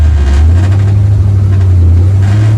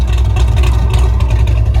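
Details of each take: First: 1974 Corvette V8 under full throttle in third gear after new spark plugs and compression check: pulls hard to about 75% throttle then sags and falls flat, running too rich and flooding out — carburetor bog needing retune. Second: 1974 Corvette V8 after new spark plugs, compression check and full carburetor retune, warm at about 170 degrees: deep, steady, loping idle with even chop and no misses; normal, well-tuned idle.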